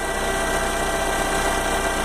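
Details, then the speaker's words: 2011 Fiat Novo Palio 1.4 with about 90,000 km, heard with the car raised: steady idle with a constant whirring hum under the engine note, identified as a failing oil pump needing replacement. "olha só pessoa esse é o barulho está fazendo o motor não paga o novo palio 1.4 botões em 2011 e eu quero um grande barulho não espera nada de achar até que identifiquei o que era o problema é um problema sério é a bomba de óleo"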